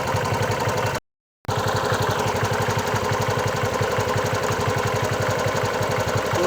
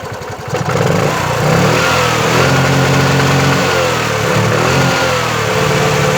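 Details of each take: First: Bajaj Chetak 4-stroke scooter, warm after 10+ minutes of running following replacement of a defective CDI: an even, steady putter with no knock, stumble or misfire; normal warm idle. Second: Bajaj Chetak 4-stroke scooter, about 7 minutes after a smooth start, idling and revved: warm single-cylinder engine stumbles and hunts unevenly with dropped beats, knocking and misfiring; plug, carburetor and coil already tried.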